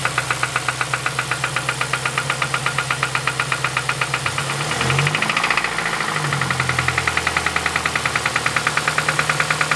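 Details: 2007 Ford Focus ZX4 ST at idle, first start since knocking began at about 4500 rpm weeks ago after running with no oil: sharp regular knock about two beats a second, pitch shifting under a blip; suspected rod knock, unconfirmed.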